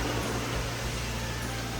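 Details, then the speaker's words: Car started after a winter dead battery, jump-started with cables from a working car run 3–4 minutes: steady, even low rumble with a constant drone and no misses or knocks; engine running smoothly. "And now it's working. You can see, you can hear the noise now."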